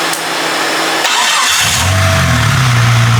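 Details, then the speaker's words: Junkyard Jeep Cherokee (circa 2000) engine labelled bad, running in the shop: catches and settles into a steady, even idle with a smooth low drone and no misses; owner thinks a slight rattle is pistons fitting to the cylinder walls and will fade when hot. "they're just kind of idling and they'll kind of fit to the cylinder walls all your tolerances is right so my personal opinion a little rattle that's what it is"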